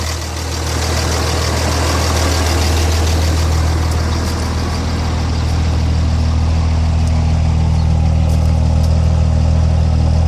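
Deep diesel idle with an uneven, lumpy beat and a pulsing drone; the engine is idling rough, cause not yet pinned down.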